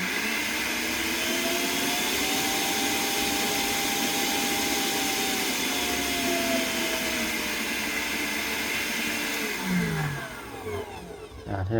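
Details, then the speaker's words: Multi-purpose blender (unit no. 2) plugged in directly with safety switch on: steady high motor whir, even pitch dipping slightly midway, then spins down; runs normally. "này chạy bình thường mà"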